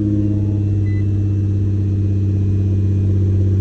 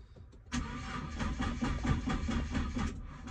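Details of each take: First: Nissan GT-R R35 with code P1220 (fuel pump module), which had a no-start from a broken fuel pump fuse, with power at the pump confirmed: engine catches and settles into a strong steady low rumble with no misses or knocks; normal start and run. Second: Nissan GT-R R35 with code P1220 (fuel pump module), tester light on the fuel pump cables showing no power: starter spins the engine in even pulses for about three seconds and never catches; crank no start, probably from a blown fuel pump fuse.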